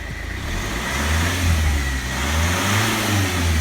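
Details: Land Rover Freelander TD4, BMW M47 diesel, after high pressure fuel pump regulator fix: revs climb smoothly through the range and hold steady, no stumble or smoke; normal revving.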